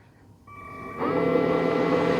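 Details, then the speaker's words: Silonn countertop ice maker just switched on with no water added; steady hum and buzz build and hold, sounding like the pump trying to pump water, cause unconfirmed; hum at startup. "and it's uh sounds like maybe it's trying to pump some water I don't have any water in it yet"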